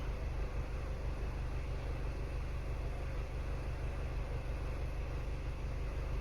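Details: Car under OBD2 scanner test: low, uneven idle loping about twice a second, sounds like a cylinder misfiring; injector test looked okay, mechanical issue suspected, compression check advised. Not confirmed.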